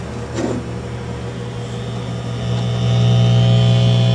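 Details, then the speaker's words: 1959 Philco tube AM radio with all new capacitors and a new converter tube: steady low hum with no stations received; IF stages pass 455 kHz, and the fault was an open winding in the oscillator coil, replaced with a salvaged coil. "the problem with it was it just produced a a noise when turned on just a hum it uh didn't receive any stations"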